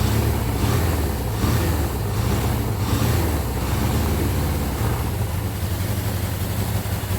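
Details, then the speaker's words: 1979 Suzuki GS750 that had been sitting since 1984, on its first start attempt in decades with the choke being taken off. Uneven low chuffing and popping that nearly catches but won't idle; fuel is seen pouring out of something. "it runs it's not idling and it looks like it's pouring gas out of something because it is but it hit it ran it did something"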